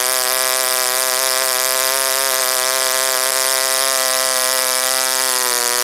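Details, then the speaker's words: OS Wankel rotary on 5% Omega fuel with extra castor and a 10x4 APC prop: high, steady, even idle whine with no surging or misses, idling well. Owner had adjusted the air bleed idle screw, possibly setting the idle too low. "I don't know seems to idle pretty well"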